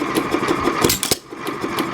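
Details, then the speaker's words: Gallatin family engine at idle, no load, mixture control set correctly: light evenly spaced pops about six per second, single clean fire each cycle, no double hits; normal idle firing. "so here's the engine trying to fire twice what's happening there is open the fuel valve because it's an idle and no load will begin the fire"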